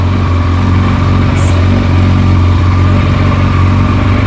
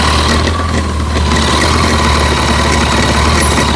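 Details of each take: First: Kawasaki ZZR1400, about 28,900 km, after repairing a dented clutch basket causing loud clutch-side rattle: smooth, even low idle with no rattle or clatter; noise gone. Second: Kawasaki ZZR1400 at about 28,900 km, idling: a constant metallic clatter from the clutch side that gets very loud when the clutch lever is pulled, caused by a loose clutch release bearing stopper.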